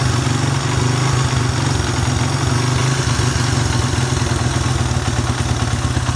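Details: Suzuki Satria FU 150 single-cylinder, hard starting and would not rev, after running added ground wire straight to engine: runs smooth and even with steady low beat, no misses; carburettor not the cause.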